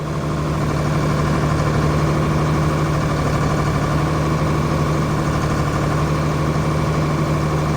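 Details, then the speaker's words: John Deere 4850 tractor six-cylinder diesel with white smoke and power loss, injector lines cracked one by one at idle: slightly lumpy beat, and cracking number 3 gives no pitch change unlike the others; dead number 3 injector. "Larry starts cracking injectors, goes 1, 2, and then immediately at 3, you hear no engine differential."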